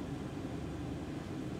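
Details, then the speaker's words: Jeep Cherokee XJ after heater core replacement, blower on speed three/four: soft steady low hum with no rattle, squeal or ticking; earlier blower motor noise gone, runs smoothly. "the main concern was the noise with the blower motor so let's find out that's on three four yeah smooth operator noise is gone now"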